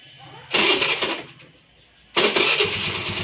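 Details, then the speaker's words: Honda Dio 4G scooter after carburetor adjustment with the idle screw set: on the self-starter it fires almost instantly, fades once, then catches and settles into an even idle; normal start. "तो इस तरह से गाड़ी जो है start होना चाहिए, जल्दी से स्टार्टअप लेना होना चाहिए।"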